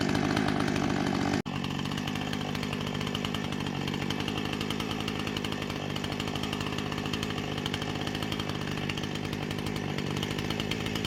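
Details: Husqvarna 455 Rancher chainsaw with about 4 hours total runtime, previously running rough after warm-up, now after ignition coil replacement: steady high snarl holding speed under cutting load without stumbling or dropping out; running clean.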